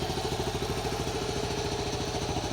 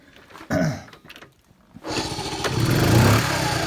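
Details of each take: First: 1974 Honda C50 single-cylinder, after 5 months sitting: ticking over at a steady, even beat near ten a second with no misses or stumbles; healthy, settled normal idle. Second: 1974 Honda C50, unstarted about 4 months, November: cranks a couple of times, catches and revs unevenly for a few seconds, then sags and fades; hard starting, stalls after firing, owner suspects ethanol fuel effects.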